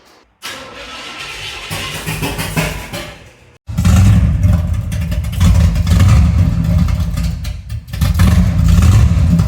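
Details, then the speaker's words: 1975 Chevy C10 on first start of its newly rebuilt engine: cranks, then fires into a very loud, raw, booming idle that swells with throttle because the exhaust pipe fell off and is disconnected. ">> Dude, the exhaust fell off. That's why it's so loud."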